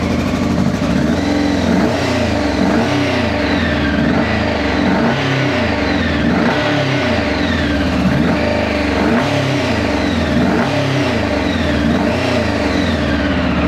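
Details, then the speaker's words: 2000 Honda CBR600 project from a hedge, cold, just started: catching and revving unevenly, the beat ragged through the blips; running rough, owner suspects an exhaust blow, unconfirmed. "So, sounds a bit rough, but let's let's see if it'll start again. Pretty sure there's a blow from the exhaust."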